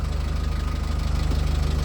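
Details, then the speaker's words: Newly rebuilt BMC 1.8 diesel, first cruise out: steady, even low diesel thrum with a regular beat, no popping or misses unlike the old engine; running smoothly. "It doesn't sound anything like the old engine at all. I kind of missed the pop, pop, pop, but it wasn't good. It wasn't good at all."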